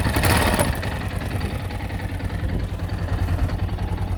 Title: Yamaha xt660z tenere engine knocking sound